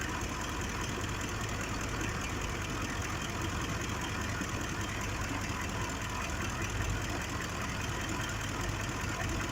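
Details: 2005 Ford F-150 5.4L V8 idling with an uneven, stumbling beat: misfire on cylinder 2, suspected failing fuel injector; scan shows bank 1 injecting about 23% more fuel.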